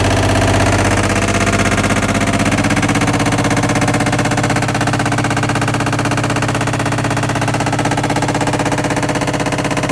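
Loud, even pounding at roughly three beats a second, steady throughout the spin; something in the drum assembly is knocking hard.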